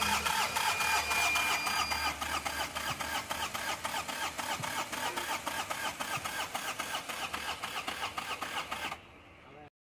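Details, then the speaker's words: Tata Magic Express BS4 diesel that intermittently fails to start or starts then dies, fault code P228C-00: starter churns evenly for about nine seconds without catching; fuel pump problem, low fuel rail pressure. "क्यों start नहीं हो रहा start हो के बंद पड़ जा रहे हैं"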